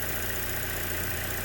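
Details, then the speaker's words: 2015 Buick Encore 1.4L, 104,246 miles, P0171 lean bank 1, at idle: steady high whistle over smooth idle from air drawn through failed valve-cover PCV valve; vacuum leak, short-term fuel trims correct when valve pulled; valve cover replacement likely. "we're getting immediate corrections on our short term it's that whistling you're hearing there's a change when i pull the valve"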